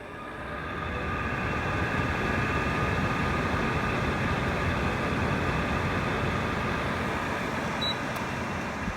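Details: Unit that sat in a closet over a year, fan running on high: a constant rough rumble and whoosh with no clean spin tone. Dry, worn fan bearings are suspected; the noise has worsened over a year or two.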